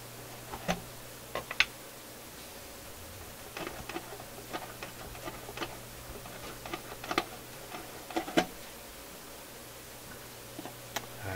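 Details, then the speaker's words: Philips console stereo tube receiver, tubes swapped between channels: irregular sharp clicks and crackles over a steady low hum in one channel; popping followed the swapped tube to the other channel, so the tube is the cause. "There's the popping, and it's in the other channel. Oh my gosh. It's the tube."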